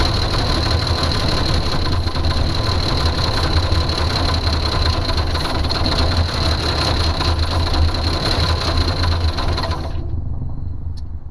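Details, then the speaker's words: 1982 Jeep Cherokee six-cylinder, not run in years, no fuel reaching the carburetor: uneven, lumpy idle with irregular pulses, then it cuts out near ten seconds. Rough idle then stalling from fuel starvation; owner suspects a holed fuel line or bad fuel pump. "All right, sounds a lot better now that I revved it up, but we still have a problem with fuel delivery."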